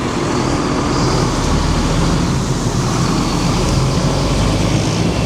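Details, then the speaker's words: Powerscreen Premier 400X jaw crusher, not run for a few months, started during a full inspection with conveyor, engine and jaw running; heavy steady low rumble with an even engine note and no banging: normal running. "Right, so there's no banging whatsoever. And if I walk away from this, you don't really know that the jaw's running there, do you?"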